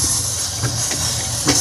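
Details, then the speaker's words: Yamaha PSR-S750 keyboard failed mid-parade while powered from an unstable diesel generator: no notes come out, only a loud constant hissing roar. Audio section fault suspected, not confirmed. "sangat berisik. Ya, jadi dipakai karnaval kemarin, terus di tengah-tengah perjalanan itu rusak, suaranya nggak keluar, hanya muncul suara seperti itu."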